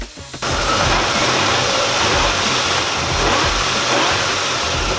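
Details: 2004 Nissan Xterra engine just converted to supercharged, after plugging the EGR port on the aftermarket headers; after a brief start-up it settles into a steady, even run with no ticking or exhaust puffing, so the leak is gone.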